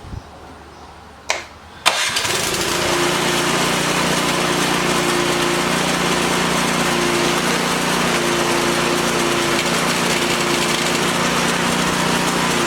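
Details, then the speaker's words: Troy-Bilt Storm 2410 snow blower after auger bushing and spacer replacement, started with electric starter: engine catches after a couple of seconds and settles into a steady, even roar with auger turning smoothly; running normally after repair. "It's got new bushings. I got my electric starter on there. I'll start it up. It's going to be noisy."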